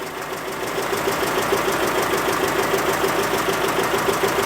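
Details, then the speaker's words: Citroën GSA on dyno with new alternator, belt deliberately set loose; light regular ticking rattle about three per second over steady running engine, loose alternator belt noise. "what is that noise is that our lovely new alternator I thinking that kind alternator"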